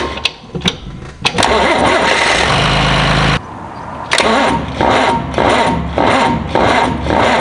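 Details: John Deere 2955 tractor diesel after installing gear reduction high-torque starter to overcome slow cranking from a loaded hydraulic pump; steering wheel not turned: quick, strong cranking, catches within seconds, steady run; normal cranking and start.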